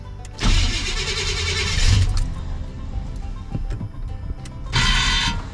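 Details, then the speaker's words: 1989 Chevy Silverado C1500, 305 (5.0L) small block rebuilt after a head gasket failure with new rings in cylinder 2: starter grinds, then runs lumpy and uneven, shaking badly, with good oil pressure; misfire suspected, cause not confirmed. "that's because she's not running very good at all and i'll show you"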